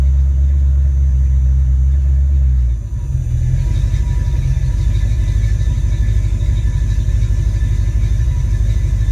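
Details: Ford Mustang 5.0 mass air running a rebuilt A9L computer under test: holds a rev steady without stumbling, then drops to smooth closed-loop idle around 800-900 rpm with no breakup or engine light.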